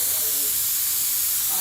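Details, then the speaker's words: Home central-heating radiator cold, boiler pressure just over 1 bar, bleed valve opened slowly anticlockwise: steady high hiss of trapped air rushing out, no water yet; air trapped in radiator being bled. "I have to open it slowly, anti-clockwise. Then you hear the air coming out."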